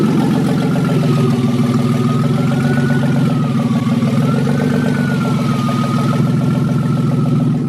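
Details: BMW 318 first start, idling around 1,000 rpm per tach (tach reading off): even, steady idle with smooth low rumble, no power steering pump whine; power steering and belt working fine.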